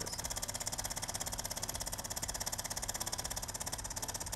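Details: De'Longhi PrimaDonna Elite Exclusive espresso machine bought used from a customer: harsh, strained pump buzz pulsing about three times a second with no change in tone; the pump is labouring against a scale-blocked heater circuit.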